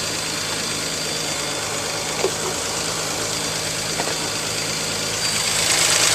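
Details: 2018 Nissan Pathfinder SL, about 27,000 miles, idling after a kerosene flush, oil and filter change and Seafoam added: quiet, smooth idle under a steady hiss, even hum, no ticking or rough spots; healthy.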